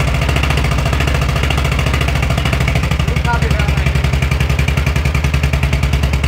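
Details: VW Beetle (Fusca) air-cooled flat-four idling, long-stored engine, with a fast, clattery beat riding on the exhaust pulses; abnormal engine noise, cause unclear.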